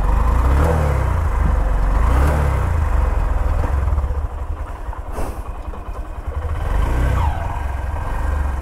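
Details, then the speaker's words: Honda SP 125 motorcycle at 16,000 km, before service, cooled down after washing: several rev blips rise and fall, slow to pick up each time; the lag is blamed on the engine being cold after the wash. "अभी हम इसको धुला के लाए हैं तो यह थोड़ा ठंडी हो गई है गाड़ी तो इस वजह से यह थोड़ा लैग मार रही"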